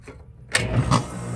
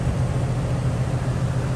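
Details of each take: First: Rheem condenser with the original fan motor reconnected: two sharp bangs as the fan first starts spinning, then a steady hum; the noisy condenser fan motor is to be replaced with a new motor. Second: 2019 Rheem 3.5-ton condenser, installed three years ago, under warranty for a loud condenser fan motor noise at shutdown: compressor restarts with an even low hum and steady pulse, no knocking; runs smoothly.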